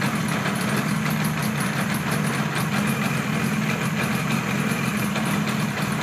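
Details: 1976 Kawasaki KZ900 A4 four-cylinder project bike running: an uneven, stumbling idle with a loose, ragged beat and some rattle, not running cleanly on all cylinders; rough running.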